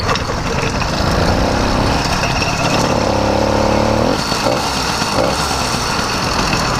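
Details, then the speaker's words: Motorized bicycle on a test ride with a freshly rebuilt, custom-ported YD100 two-stroke replacing a broken 100cc iron-sleeve engine; a setting was just adjusted two notches. A steady buzz under riding wind, pulling evenly without bogging, already with more pull: healthy. "the idle yet it's already better I've already felt a little bit more pull on it"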